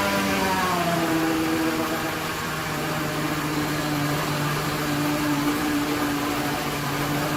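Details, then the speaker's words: Grand Marquis with homemade twin superchargers, first start after routing the blower belt, stock fuel pump: rough idle with a steady whine and uneven slapping about four beats per second as the belt and tensioner brackets jump around, needing stiffening. "terrible definitely need to uh stiffen these up cuz this thing is just kind of jumping all over the place"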